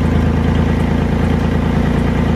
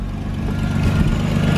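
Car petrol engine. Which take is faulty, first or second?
first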